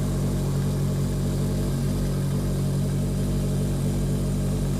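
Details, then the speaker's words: 1981 Yamaha XS1100 Midnight Special, cold start on full choke with weak battery: steady low burble with even firing on all four cylinders, no misses; normal idle before heavy exhaust smoke builds, owner unsure if condensation, bad fuel or rings. "it's burning clean right now sounds good it's running"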